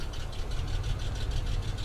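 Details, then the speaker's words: Warm engine at operating temperature with good cooling pressure and no water in the oil: sharp, even ticking knock about six a second at idle, neither better nor worse; cause unconfirmed, lifter or collapsed lifter suspected, possibly wrist pin. "Okay, so the car is starting to warm up. It's coming up to operating temperature and uh that noise has not gotten any better. Hasn't gotten any worse. That's a difficult uh a difficult sound to diagnose."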